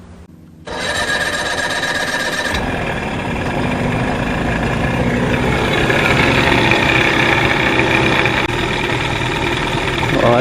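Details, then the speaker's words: 1989 Johnson 40 HP VRO outboard after linkage adjustment: buzzy two-stroke idle whose beat wavers and stumbles; running much better but still slightly rough, thermostat missing so possibly not warming up. "a lot better still a little bit off though could be why it's not idling correctly no thermostat it's not warming up maybe"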